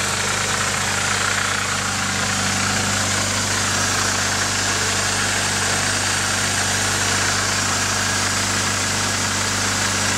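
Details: Nissan 240SX KA24DE at a steady idle with a light, fast rattling tick about three or four a second over the engine note; the owner suspects the timing chain, unconfirmed.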